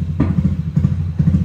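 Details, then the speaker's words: Bored-up automatic scooter on a BRT Juken 5++ ECU, ignition dwell set to zero at about 1500 rpm: uneven low idle with popping thumps every half second, as the spark doesn't fire and unburnt fuel explodes. "ini dia bakalan meledak-ledak Kenapa karena waktu melintasiin di RPM segini dia nggak kebakar bahan bakarnya karena di sini kalau nol itu artinya api businya itu nggak nyala sama sekali"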